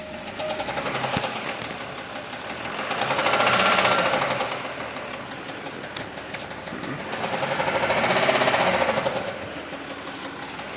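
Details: Jaguar XF S 3.0 V6 diesel 275: engine revved up and down twice with a fast rattling knock that swells with revs; engine knocking noise, reported resolved, cause not stated.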